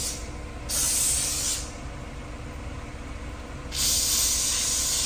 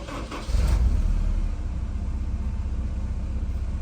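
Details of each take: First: Honda S2000 after a valve adjustment and injector cleaning for a misfire, heard at the tailpipe: steady, even exhaust rush at idle, two quick blips rising and falling cleanly, no popping or gaps; normal exhaust flow. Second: Honda S2000 with misfire and check engine light, valves suspected set too tight by dealers, starter suspected: sluggish, lazy crank before catching, then even steady idle without obvious shaking; slow start.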